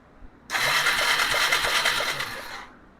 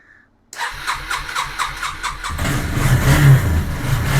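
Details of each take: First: 2001 Yamaha Bear Tracker 250 ATV that sat a long time with a fouled plug: about two seconds of buzzing starter cranking with a soft uneven chug, never firing. There is no spark. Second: 2001 Yamaha Bear Tracker 250cc ATV, long-sitting, no-spark problem with stator pickup coil suspected, fuel leaking, likely at tank petcock seal: brief cranking, then catches cleanly and idles with steady low pulses and light blips; normal start and idle.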